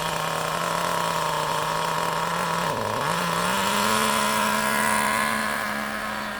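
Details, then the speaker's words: Brand-new nitro RC car engine being warmed to operating temperature before tuning. A steady buzzing drone dips and bogs briefly before recovering, lazy and flat: the engine is running too rich with excess fuel and sluggish. "it's going to be really slow it's going to be really [Music] sluggish the reason for that is because there's a lot of fuel a lot of nitro going into mixture and that's no good"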